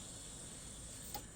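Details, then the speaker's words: First-generation Chevy Metro (Geo Metro/Suzuki) with a crank-no-start condition: at key-on a steady high fuel pump hum runs about a second and a half, priming now heard where it wasn't before; normal fuel pump prime. "beautiful. We hear the prime, which we didn't hear before."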